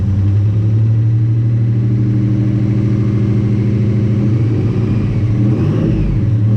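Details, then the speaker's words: Nissan Navara with replacement VG30 V6 and new turbo, first start after cranking for oil pressure: strong, even note, rising and falling cleanly on throttle with no knocks or misses; sounds healthy, possible leak somewhere. "holy crap well it sounds really good actually"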